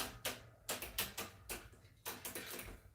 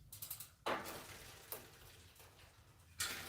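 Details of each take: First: Schwinn AL Comp bike, rear derailleur after fitting a Microshift Advent X and adding a chain link: irregular bursts of sharp metallic clicks as the chain won't drop a cog; derailleur adjustment way off, possibly bent hanger. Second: Schwinn AL "Bundy" Comp bike after Microshift Advent X derailleur install and chain adjustment: light freewheel ticking and soft chain whir as cranks turn, no clinking or clacking; drivetrain running clean and normal.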